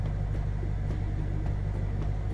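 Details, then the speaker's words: Ford 6.0 Powerstroke diesel idling after FICM replacement, FICM voltage steady at about 48–49 V: a steady, even low rumble with no injector clatter or misses; runs smoothly after the repair. "it's not even dipping down at all so I guess basically what I'm gonna do now on a team sounds much better I don't know if you guys can hear but the the injectors on clattering are nothing"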